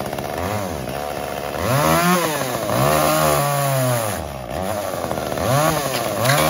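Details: Echo CS-345 chainsaw cutting wood before carb adjustment: screams at high revs, then pitch sags and labours as the chain bites; bogging under load from a slightly lean high-speed (H screw) mixture, later fixed by richening 1/8 turn.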